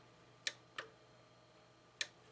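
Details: Sony DVP-NS45P DVD player making quiet, sharp ticks about every half second and refusing to read the disc. The owner suspects plastic part misalignment from weight resting on top; not confirmed.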